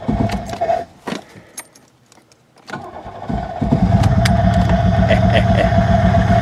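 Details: Buick LeSabre that sat about a decade outdoors: cranks with a few stumbles, catches at about three seconds, and settles into a steady, even idle, though smoky; engine running normally.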